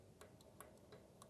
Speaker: and you can hear that there's some clearance there. So it's not a tight valve on number 1, and that's good that it's not tight, but it's something we're gonna have to monitor, because if it gets much worse, then a rebuild is possible.